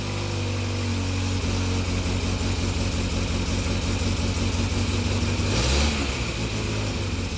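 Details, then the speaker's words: 1961 Morris Minor 1000 Traveller just restarted after blown head gasket replaced and head refitted, not yet warmed up: steady, even low idle with a constant throb, no knocks or misses; normal idle, head re-torque and valve clearances still to do. "there you go she started"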